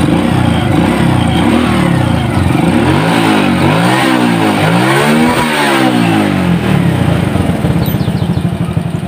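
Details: Honda Supra X motorcycle after replacing cam chain for rough engine noise: engine revs up and drops back cleanly several times, even firing, no top-end rattle; healthy.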